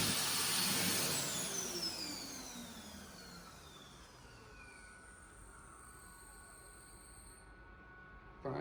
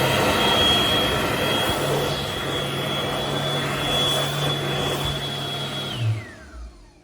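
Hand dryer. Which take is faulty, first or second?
first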